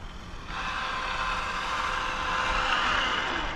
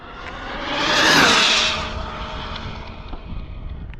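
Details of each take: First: Cobra 5 Ace RC car at full speed, reading 172 on a cool day: steady high electric whine holds even with no stutter, cogging or cutting out; motor and ESC running very smoothly. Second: Cobra 5 Ace RC car (4090 motor) speed pass with 121 gearing: car screams past with one flat, unchanging whine that never climbs; motor plateauing, indicating gearing too low and needing to gear up.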